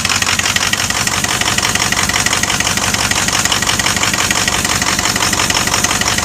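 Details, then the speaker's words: 2006 Ford XLT truck at idle: loud, uneven puffing chuffs from a broken exhaust bellows and a misaligned Y-pipe, with heat felt at the leak and a cylinder missing. Exhaust leak with misfire. "Feel the heat from the exhaust leak. My pipe. I can see it right there. Right in the bottom, right there. Not only that, it probably isn't lined up either, but I can see it broke right there. And it's missing like a mother."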